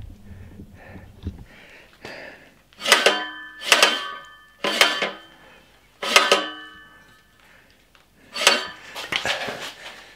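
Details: Swardman Edwin 2.1 six-knife reel cylinder damaged by hitting a jetty edge, turned by hand: rough scraping grind in repeated passes as the bent cylinder rubs the bedknife.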